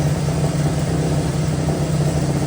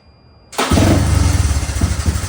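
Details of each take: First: Honda 185S three-wheeler single-cylinder on E85, with a ported stock carb and an O2 sensor in a welded bung, reading about 9–10 air-fuel ratio at idle against a 14.7 target: a deep, heavy, lazy, blubbery idle; running far too rich. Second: Honda 185S three-wheeler on E85 with ported stock carb, ignition timing fully advanced and advance springs replaced: starts immediately, crisp even single-cylinder thump with no misses; running normally, though advancing timing made little difference.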